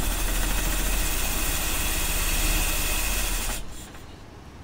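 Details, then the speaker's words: 1985 Mercedes 190E, KE-Jetronic, fuel pump running at almost 60 psi, air flow disk being adjusted a quarter turn: engine runs loud but lumpy and unsteady, barely holding an idle before dying down; rough idle. "all right she is kind of alive kind of what can I do to make her better what can I do to make her better"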